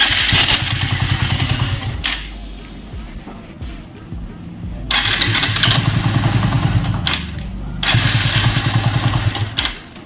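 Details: Bajaj Avenger 220 motorcycle: three cranking bursts with a harsh, rough whirr over the churn from a worn starter motor (self-start) bearing; fixed by changing the bearing kit.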